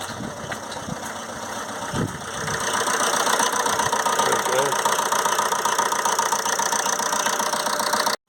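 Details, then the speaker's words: 2007 Ford Transit Connect 1.8 TDCi diesel, crank-no-start with P0087 low fuel rail pressure; leak-off test found a faulty injector, which is blanked off. The engine starts, then settles into an uneven, lumpy clatter with one cylinder dead. "it started it started it's not running on all cylinders well you might be able to hear it it's not on all"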